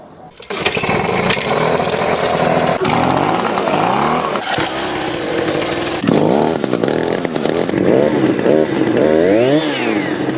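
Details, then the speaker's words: Echo PB-2520 two-stroke blower that labored at high rpm and would not idle after the owner misadjusted the carburetor: buzzy engine surges and sags, revs climbing and dropping unevenly; rough running from misadjusted carburetor. "It started to have a hard time running, and he tried to adjust the carburetor and got it all screwed up."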